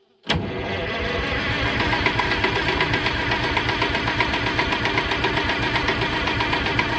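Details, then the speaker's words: 1963 Chamberlain Super 90 tractor, GM Detroit 2-stroke 3-cylinder supercharged diesel, revival after long sitting, ether in intake: steady rapid cranking about two to three beats a second, no firing; earlier compression seemed low, fuel not yet sorted. "No ignition. Okay, so after we cranked it over the other day, it all sounded okay, but we didn't seem to have much compression,"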